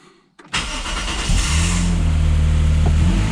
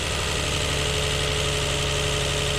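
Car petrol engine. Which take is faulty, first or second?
second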